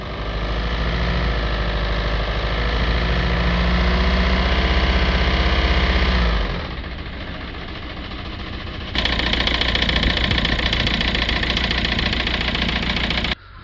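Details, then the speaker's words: Citroën C3 1.5 diesel with a cylinder 4 misfire, returned worse a few days after an injector cleaner treatment: revving gives a ragged, uneven chuffing and stumble; a fueling/injector issue is suspected. "It has got a lot worse. Let's give it a little rev up. It sounds terrible."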